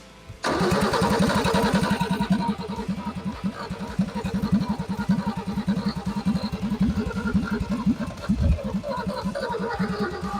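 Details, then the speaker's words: Ford XP Falcon engine started after 35 years sitting, running without exhaust manifold, timing still slightly out after a backfire: fires straight up into a loud, slightly lumpy pulsing beat, holds speed and keeps running; normal running. "Woo! You're on fire. This engine is hot. Stop laughing at me. She's good, she's good."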